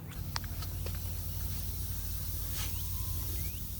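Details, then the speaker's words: Class B RV propane system leaking from a cracked propane hose, smell of gas nearby: steady high hiss over low outdoor rumble as gas escapes. "Exactly where it's leaking. You can smell it over here. So, it's blowing it out."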